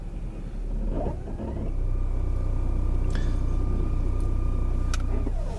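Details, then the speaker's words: 2018 Ford Fusion 1.5 with 6F35 six-speed transaxle, about 23,000 miles: low rumble with a steady high whine in reverse and drive, gone in park and neutral; converter or stripped stator suspected. "and park so again you know classic sign of a converter but we're going to see if we're dealing with a converter or possibly a strip Stater"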